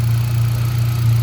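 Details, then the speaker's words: Hyundai Accent gasoline, no-start fixed by swapping the fuel pump relay with the horn relay: steady even low hum with no stumbles or misses; smooth healthy idle, no misfire. "Ayon goods naman. Walang palyado. Okay naman yung makina. Oh ayan walang problema sa ngayon."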